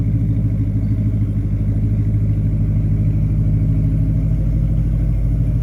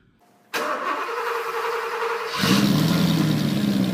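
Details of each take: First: 1988 Porsche 928 S4 V8 with a rear muffler bypass and new tires, idling with an even, smooth burble and no knocks or misses: normal idle. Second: 1993 Porsche 928 GTS V8: engine runs with an uneven, lumpy beat as if on half the cylinders, possibly one bank; owner hopes the igniters are at fault, not confirmed.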